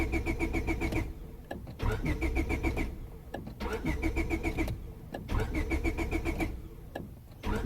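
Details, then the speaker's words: 2000 Honda Civic 1.6L that won't start when damp after sitting: starter cranks in short bursts with pauses, never catches. Fuel smell present and plug sparks, but weakly. Crank-no-start. "so riddle me this I can definitely smell the fuel and the thing is that spark plug was sparking not not nearly as much as it should but it was sparking"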